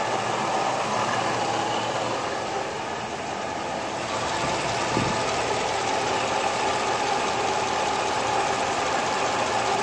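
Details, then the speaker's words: V8 with top-end rebuild, Comp Cams Evolution hydraulic roller lifters after 14 hours run-in, hot at operating temperature, driver's side bank, wheels off: soft, dull, even clatter, no sharp clacking; lifters sound normal. "go to the driver's side so basically you hear some dull clatter"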